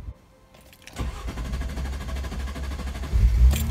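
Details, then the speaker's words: 2001 MG ZS 180, 15-year-old camshaft sensor failing when hot, code P0340; sensor cooled with ice as a temporary fix: after a pause the starter cranks about two seconds before the engine catches and rises, a slow start; sensor later replaced. "And indeed the car does start eventually. Took a little bit of a time to start, but it did start."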